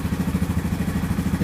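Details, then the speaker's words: 2015 Yamaha Grizzly 550 ATV with 129 miles and 20.7 hours that sat a lot and kept dying and cranking poorly: after a fresh spark plug, a steady single-cylinder putter idles cleanly with no stumbling. "Just from that one time of turning it over, it does seem like there's a big difference with the fresh spark plug here."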